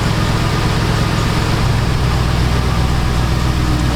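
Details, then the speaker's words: 2006/2007 Jeep Grand Cherokee 4.7 V8 after fixing misfire, warming up at idle, heard at tailpipe: loud steady low rumble, nice even tone, no stumble; all cylinders firing normally. "Got a nice even tone, got good exhaust juice coming out of it."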